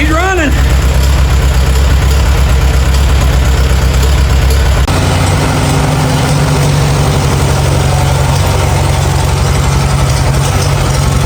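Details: Farmall A petrol tractor revived after 10+ years idle (new radiator, fan, belts, hoses); steady, even low idle with regular beat, running smoothly; normal idle.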